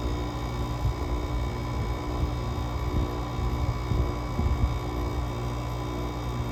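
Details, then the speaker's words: GE AWS05LSK1 5050 BTU window AC with Samsung rotary compressor, cold start at 15°F with coil frosting: steady low compressor hum and fan drone, slightly rough and pulsing; compressor warmed up, oil no longer viscous, lubricating freely and keeping it running. "there so the compressor has pretty much warmed up at this point the motor is running hot enough where the oil is no longer very viscous the oil is lubricating freely which is keeping the compressor running"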